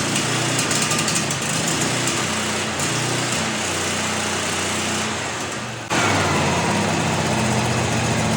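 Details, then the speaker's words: About 30-year-old Miller Bobcat generator welder (250NT/225NT) V-twin, oil last changed around 2016 but clean, first start: even loping idle, steady beat about three per second, no knocks, misses or rattles; engine healthy. "That V-twin has got that nice little lope to it."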